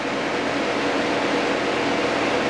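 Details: 2009 Cadillac Escalade A/C after rear line repair, R134a, ~45 psi low / 255 psi high side at 74–90°F ambient, recirc on max: even blower rush with steady hum, no cycling or rattles; running normally.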